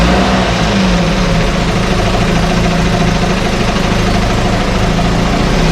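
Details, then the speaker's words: 1968 Evinrude Fastwin outboard in test tank, out of gear, no load, untouched with old carb gaskets and plugs, Sea Foam in fuel: steady even burbling idle, no misses or coughing; normal idle, owner plans only a carb kit. "it runs like a top it just runs so good why would i do anything but put a carb kit on it"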